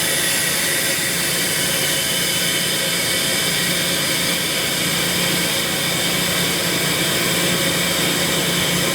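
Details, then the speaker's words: Ingersoll Rand SSR-EP60 60HP air-cooled rotary screw compressor, 98,485 run hours, tank at about 85 PSI: loud steady rush of venting air as it unloads and blows down before shutdown, no knocks or rattles; normal. "You can hear it unload. That has to be way down before you stop."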